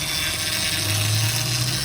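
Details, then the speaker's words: 2007 Honda Pilot at idle: steady high whine over a smooth idle, from the power steering pump running low on fluid due to a leak. "es bien particular en los vehículos cuando tenemos problemas de fugas de líquido. Estoy hablando de lo que es el líquido del Power Steering."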